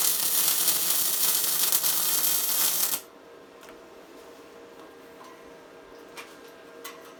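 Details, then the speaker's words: Tesla MIG 260 semi-automatic welder: steady, even crackle like tearing fabric while the arc runs, meaning the welder is correctly set; normal MIG welding crackle. "так ось такий звук такий тріск як ее ніби тріск матерії це значить що в нас правильно налаштований зварювальний апарат"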